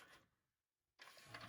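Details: Pioneer DVL-919 LaserDisc/DVD player, sent in for Side A skipping, running with its cover open. A brief mechanical whirr as it switches from the default DVD laser to the LD laser, near-silence, then a steady spinning hum with light clicks; it spins up and plays normally.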